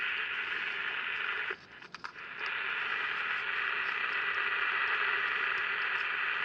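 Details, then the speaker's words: Candle pocket radio powered on for the first time with a battery: a steady crackly hiss from the speaker and no station reception; the amplifier works, and the oscillator is suspected of not oscillating properly or at all. "Usually when you hear that hiss means that uh a lot of times, anyway, that the oscillator is not oscillating the way it should be or at all."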